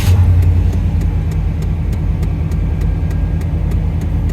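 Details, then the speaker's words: 1992 Chevy Silverado OBS truck, low on oil before oil change, freshly started at idle: steady even low rumble, no knocks or rattles, no smoke, good oil pressure; normal idle. "no knocks no smoke it's got good oil pressure"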